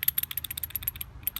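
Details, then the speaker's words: Washing machine inner drum-side bearing, removed, about 1 mm play, rusty, spun by hand: rapid gritty ticking, roughly a dozen clicks a second; worn, rotten drum bearing. "can hear the rattling in it. This is the side that was on the washing machine drum side, and this is the side."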